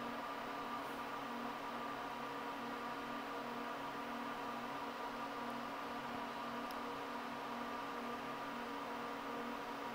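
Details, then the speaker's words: First power-on of a newly built PC with a temporary EVGA GT 1030 card: a steady, even whirring drone from several fans with fixed tones and no ticking or grinding, fans running hard at first boot before any display appears. "now surprisingly this thing sounds like a I don't know um drone or something like that these these fans are pretty noisy"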